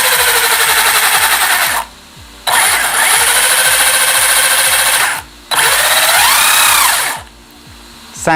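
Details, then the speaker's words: Newly built ZD Racing Thunder B10-E RC kit with Surpass Hobby 3650 motor and ESC, first power-on: loud high-pitched whine in few-second bursts swooping with throttle over fast ticking; gear whine, builder suspects poor meshing, new parts and grease not yet bedded in. "like I've not done a very good job with the meshing there. It should be fine, but remember, everything is new on this, so you do have to get the grease and whatnot to sort of bed itself in, but let's see what it's like when we're running it."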